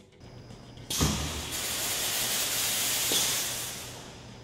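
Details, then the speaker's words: 6-inch Pro-Spray sprinkler spray body on a riser, surge test with water and air at 100 PSI, first 10 cycles: a sudden loud screeching hiss of water rushes through then eases off, body holds; normal surge flow, no failure. "Wow! You can hear the screeching water as it's pushed through the body so quickly. First 10 cycles, no failure."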